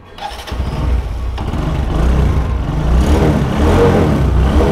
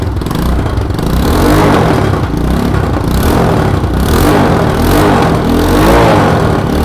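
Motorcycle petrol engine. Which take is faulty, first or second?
second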